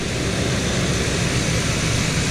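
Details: 1975 Chevy C10 V8 after rebuild, warming up until thermostat opens; steady fast even roar that stays high, slightly quieter once warm: high idle, owner suspects vacuum leak at a broken, rigged vacuum connection.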